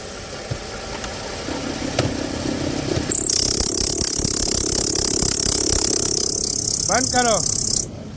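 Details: 2013 Lexus ES350 at idle with A/C switched on: loud steady high hiss-whir for about five seconds, gone with A/C off; failed alternator overrunning pulley, a common fault on this model.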